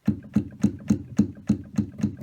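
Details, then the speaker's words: Yamaha CLP-685 digital piano: dull key thumps each followed by a short loose clack, something loose rattling behind certain keys in the action; piano broken, being returned; cause unconfirmed. "there's don't know if you can hear there a Rattle and there something loose behind behind here"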